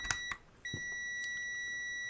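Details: Multimeter on a 10-ohm decade box setting, reading 14.6: a couple of clicks, then a steady high beep holds; the meter reads over four ohms too high, and its beep threshold is 30 ohms.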